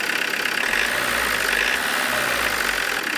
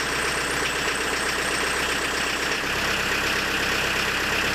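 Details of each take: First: Diesel with Lucas DPC injection pump after injection timing adjustment, warmed up: steady, even idle clatter without harsh knock, running softer, little smoke on throttle; normal idle with timing set to the optimal point. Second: Diesel with a Lucas DPC injection pump, timing set about 1.5 mm advanced past TDC: harsh, hard-hitting clatter with heavy shaking at idle, no response to throttle; injection timing is too far advanced.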